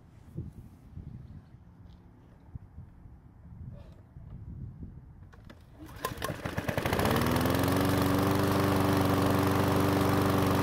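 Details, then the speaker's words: One-season-old self-propelled Powersmart mower that wouldn't start, after adding fresh fuel: catches on the first pull and settles into a smooth, even run. Brief smoke, likely oil past the rings from tipping it. "so the mower started on the first pull which is great news and even though it blew out some smoke it eventually went away"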